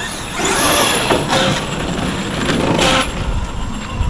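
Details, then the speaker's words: Arrma Outcast 8S 100mph custom RC car braking on grass: loud harsh rasping bursts each time it brakes, not even at full throttle; sounds unhealthy, owner unsure if the ESC electronics are just like that; cause not confirmed. "I don't like the sounds of the braking. That wasn't even pinned. It doesn't sound healthy."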